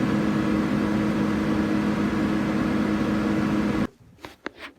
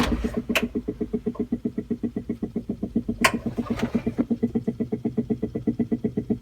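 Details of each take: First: Old Dodge blower motor after 3-in-1 oil fix, switched on and off: strong even fan rush, steady low hum, no rubbing or squeal, cuts off cleanly; normal blower operation. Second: Old Dodge blower motor, long needing to be hit to start, before 3-in-1 oil fix: regular knocking about four times a second while running, then cuts out; dry worn blower motor bearings.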